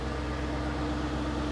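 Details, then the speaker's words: 2001 BMW 740iL, about 16–17 years old, idling after a cold start following a week of sitting: a low, even hum with no knocks or hunting. The earlier gray smoke after sitting is now gone; normal idle. "okay for a 16-year-old car, 17-year-old car almost."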